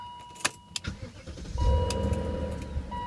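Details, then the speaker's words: 2000 BMW E39 M5 V8 start: brief uneven metallic rattle in first seconds before settling, owner attributes it to Vanos, worse cold or after sitting warm a while. "little bit of anos rattle there sometimes it's worse cold"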